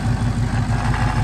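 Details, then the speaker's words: Mopar (a Hellcat in the shop): deep idle with a fast, regular pulsing throb that is not supposed to sound like that. Something is wrong; cause not diagnosed. "I don't know what's wrong with it, but whatever it is, that is not supposed to sound like that."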